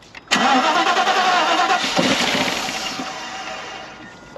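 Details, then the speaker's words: 1992 Mercedes 400SE with a quarter tank, spark confirmed, fuel pump primed, starter fluid sprayed: starter churns at about three beats a second but never catches; crank no start, fuel delivery suspected (filter or fresh gas), not confirmed. "we got spark so we just need fuel keep cranking her so we can get some good fuel up"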